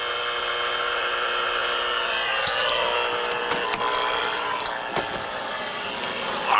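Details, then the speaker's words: Radio receiver on 6 meters picking up severe electrical interference: a harsh raspy buzz with crackles riding on it, power-line RFI suspected to come from one of two nearby poles. "as you can see I got a pretty severe uh electrical interference here on uh 6"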